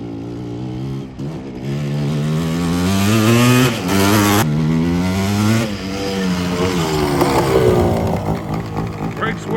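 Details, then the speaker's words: Yamaha Tri-Z two-stroke after a top-end rebuild, still being broken in: revs climb hard into the power band, then the crackling note goes fat and flattens near the top; the owner suspects rich jetting and may jet it down. "Sounded like raggedy. It's a power band, it fucking takes off. Yeah. It sounds a little fat because it's like flattening out on the top."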